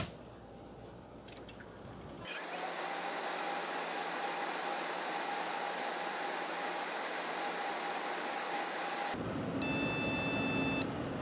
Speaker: 그런데 지금 이 메인보드는 전원이 들어가고 나서 한 2-30초 정도 있다가 비품이 나네요. 그리고 긴 비품이 계속 반복되고 있습니다.